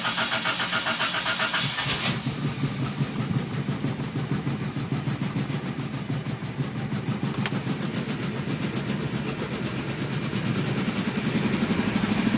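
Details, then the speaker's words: Toyota with idle air control valve cleaned in the throttle body cranks briefly, catches after about two seconds, then idles lumpy and uneven with smoke before smoothing out. "you see and you see it's having a rough time starting so that's that's normal"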